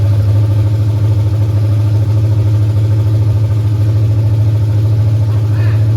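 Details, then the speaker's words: 1989 Mustang GT 5.0 carbureted V8, high-mileage stock shortblock, GT40 heads, mystery cam, longtube headers, just restarted after fuel pump hookup: strong even low rumble with steady lopey rhythm, no knocks or ticks; normal idle. "Man, this sounds pretty snappy too. All right, man. Woo! Man, fired right up too."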